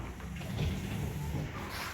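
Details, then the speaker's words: Car windshield wipers after the fix (rubber blade side changed): wipers sweep with only a soft low motor hum, no squeak or chatter as heard before the repair. "Friends, हमने वाइपर चलाया, अब आप देख रहे हैं कि वो वाली आवाज़ नहीं आ रही।"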